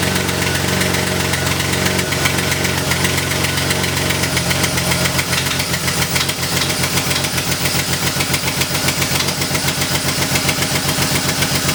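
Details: Crashed BMW E36, cold idle: sharp, fast ticking puff on the exhaust note, steady with engine speed; exhaust leak, owner suspects header not tightened properly, not confirmed.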